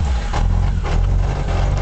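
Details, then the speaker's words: Reliant Rebel just started, oil light gone off: loud, lumpy low rumble with an uneven chunky beat, sounds like something catching down behind the gearbox; not warmed up much; mechanical noise at idle. "see it sounds like it's coming from down behind the gear box the oil light's gone off it sounds horrible I don't want to warm it up too much but it does sound like something's catching"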